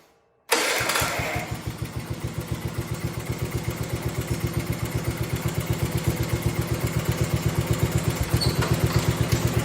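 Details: 1971 John Deere 110, just converted from magneto to battery ignition, original points and condenser, possibly cold: fires at once, holds a steady, evenly spaced putter with no stumbling; starts easier than before; normal idle.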